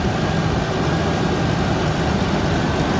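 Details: Ford Ranger engine idling after timing chain tensioner repair: deep, even rumble with injectors clicking, no timing chain rattle; sounds healthy.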